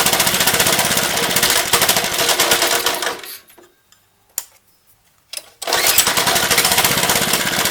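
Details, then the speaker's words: Lifan 2.5 hp single-cylinder go-kart engine after carburetor work, started with starting fluid: fast uneven popping, cuts out for seconds then catches again; won't keep running. "okay I think I got it figured out I was flipping the choke the wrong way chokes off now"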